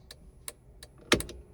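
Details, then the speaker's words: Jeep TJ with LED tail lights and aftermarket LED flasher relay, turn signals: crisp relay clicks at steady quick rate, no phantom blink either direction; normal turn signal flashing, though hazards hyper-flash on this relay. "awesome no no Phantom blink either direction great"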